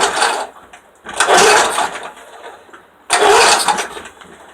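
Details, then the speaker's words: Pull-start lawnmower on a cold start, fuel in the tank, owner says compression is good, cause unknown; two pull bursts about two seconds apart, engine spins briefly then dies without catching each time. Cranks but will not start. "I've been sitting here cranking. If you can hear it, it has gas in it. I don't know what's wrong with it, but I'm gonna try a few more times."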